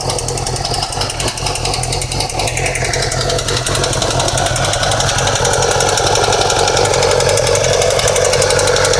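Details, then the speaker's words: 2008 Yamaha R6R four-cylinder cold start after sitting overnight: fast, uneven mechanical clatter over revving engine that comes on then goes away, settling to smoother idle; source unconfirmed. "bike's been off all night gonna turn it on and let you hear that noise how it comes on and then goes away"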